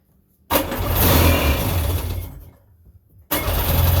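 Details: 1999 Sea-Doo GTI two-stroke, single carb freshly rebuilt, new fuel lines, 148-150 psi compression: catches, revs about two seconds, fades and dies, fires briefly again on starting fluid; fuel starvation, fuel not reaching the carb, lines possibly reversed.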